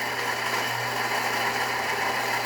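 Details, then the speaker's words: Saeco Incanto 4469 espresso machine after replacing a grinder with a broken ceramic burr and recalibrating, test-grinding for an espresso shot: steady even whirr and constant low hum, no catching or rattling. Normal grinder operation. "As you can hear, grinder is definitely grinding. Perfect."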